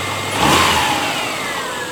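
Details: 2002 Subaru Outback just after a new alternator/power steering belt replaced a broken one: a quick rev dropping back to a smooth, steady idle with no squeal or chirp from the belt; sounds fine.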